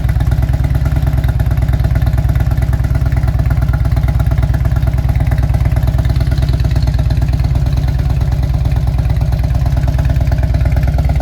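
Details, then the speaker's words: 2000 Harley-Davidson Road King V-twin with aftermarket exhaust, no programmer, just after fitting fresh NGK Iridium plugs: loud, steady lumpy idle about three beats per second, no dropped beats; misfire cured, smells slightly rich, possibly warm-up enrichment. "That definitely cleaned up the misfire we had. I'm kind of surprised, honestly. The bike smells like it's rich right now."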